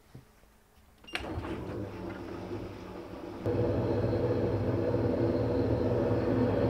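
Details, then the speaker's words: Fisher & Paykel direct drive top loader washing machine, long-serving: clicks on then a loud coarse rumble growing heavier, worn main drive bearings (6005 2RS); fix is replacing the drive bearings and shaft seals. "right hear that it sounds terrible she's cactus oricon so let's pull it apart see what's wrong inside and we'll fix her up as good as new"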